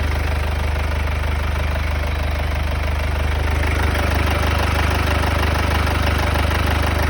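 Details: Mercedes W205 C220 CDI, OM651 diesel, cold start: loud, steady idle with an even knocking beat about three per second and an odd noise from the front; cause unknown.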